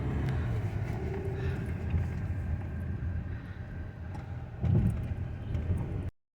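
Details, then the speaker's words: Hyundai Tucson after strut bearing, shock mounting and shock replacement: steady low road rumble on a slow subdivision test drive, the front suspension clunk now gone. "subdivision testing namin kina ni alel wala na kalampag"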